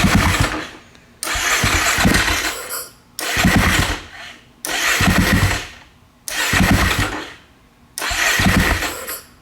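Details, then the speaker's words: 2012 KTM 500 EXC with messy wiring and a new solenoid, some wires newly powered. Six short bursts about two seconds apart: fires, runs a moment, then fades each time. Owner suspects more wires need power. Starts but won't keep running. "I mean it doesn't continue to run but maybe maybe I need to hook up some more powers to some wires to power actually I think I do"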